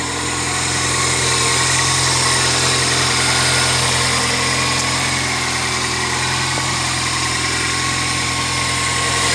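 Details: 1999 Toyota Corolla 1.8 just started after replacing the power steering pump pulley: steady, even idle with a smooth hum and no whine, squeal or knock; engine sounds healthy after repair.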